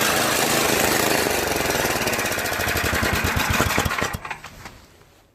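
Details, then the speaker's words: Yard Machines MTD 8HP 24-inch snow blower, single-cylinder engine started by electric start after excess oil had flooded the carburetor and crankcase: it surges and runs rough with an uneven pulsing beat, tremendous vibration and noise, then sags. "however it does surge quite a bit causing a engine not to run smoothly and causing vibration tremendous vibration that you know makes a lot of noise"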